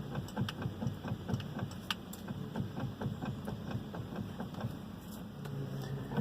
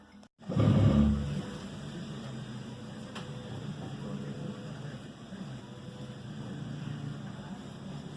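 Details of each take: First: Volvo XC90 with idling engine, wheel turned: sharp, uneven knocks about twice a second from the steering column; owner feared the steering rack, but the worn steering shaft universal joint was at fault. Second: Volvo XC90 after the steering column universal joint was replaced, having caused a knock the owner feared was the steering rack: steering wheel turns with a low engine hum and no knocks or clunks.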